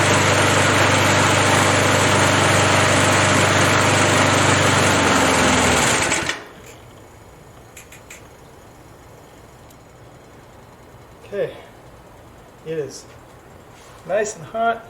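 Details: 37-year-old Montgomery Ward 20-inch mower, Briggs & Stratton 3.0 hp 92502 Vacu-Jet carb, new choke diaphragm for hard hot starting, warming up in over 100°F heat: fast, even buzz for six seconds, then shutoff; healthy.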